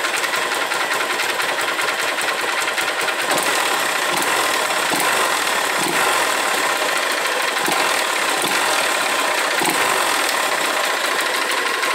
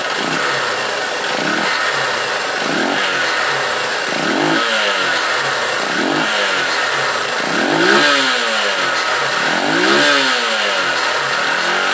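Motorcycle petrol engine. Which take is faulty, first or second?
first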